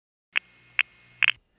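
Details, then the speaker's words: 1977 New York City panel revertive pulsing, second digit of a misrouted call: three ticks, third split into two clicks about 50 ms apart; relay bounce doubled the pulse, so midtown tandem counted four. "like only three pulses but if you listen even more carefully you can hear that the third pulse is doubled indicating that a relay bounced"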